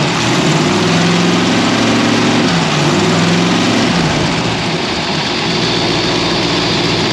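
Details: Ford V8 with 4-barrel carburetor, after sanding a sticky slide-linkage spot suspected of making the 4-barrel stick open, hood open: even rumble climbs with throttle, then settles back to a steady idle without hanging; returns to idle normally.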